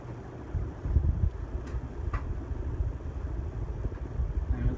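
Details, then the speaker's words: 1983 original brass Hunter ceiling fan on high speed: steady, even whooshing rumble, no wobble, ticks or rattles, with a slight 60-cycle hum. Normal running. "strong Breeze I don't if you can hear the hum a little bit more 60 cycle hum I'm used to"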